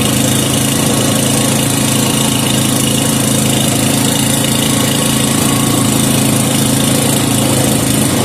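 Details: 5hp Briggs and Stratton with gear reduction, after mixture-screw tuning, warming up the oil: steady even chug at constant speed, no misses, knocks or surging; settled, healthy normal running.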